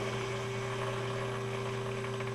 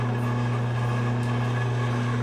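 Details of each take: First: Big bevel gears on a hobbing spindle at 165 RPM, about 8 thou added center distance: steady gear hum with faint irregular light rattle; gear rattle from small lash. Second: Big bevel gears at 45 RPM after mounting distance increased to 2.42 (about 8 thou over design), light finger load: slow steady low hum, no knocking or grinding; normal quiet gear mesh.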